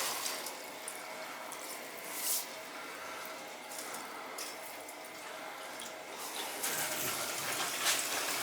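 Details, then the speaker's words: Hydronic boiler heating loop with PEX piping during service: hissing, sputtering rush of water with spits and gurgles as trapped air is purged; pressure watched because of the PEX, goes quiet once purged. "You can hear the air coming now. Gotta keep an eye on the pressure because of that PEX."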